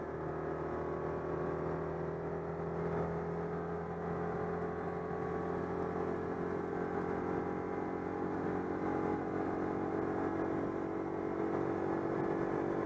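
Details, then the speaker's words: Citroën 2CV after repair of an air leak in the fuel hose ahead of the fuel pump, cruising steadily at 90 km/h on the motorway: even drone with no surging, hesitation or cutting out; now runs normally. "c'est bon c'est réparé je vais à 90 stabiliser les cinq ans"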